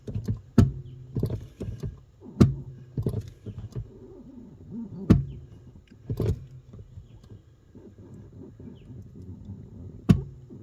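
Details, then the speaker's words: New Bendix Ultimate 4WD brake booster (U4WD-BBLC80), engine off, pedal pressed slowly: single heavy clunks a few seconds apart, then the pedal gets easier and drops; cause unknown, no clunk with the engine running, but the pedal still goes near the floor. "I don't know why it's doing that. And then once it goes clunk, it gets easier."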